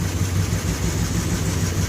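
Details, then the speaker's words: 2008 RAM 1500 4.7L with P0300 code at idle, brake booster unplugged: smoother idle worsens to uneven, lumpy pulse; misfire, owner suspects emissions clog, was dumping fuel, low gas. "I unplugged the brake booster. It's going rough again."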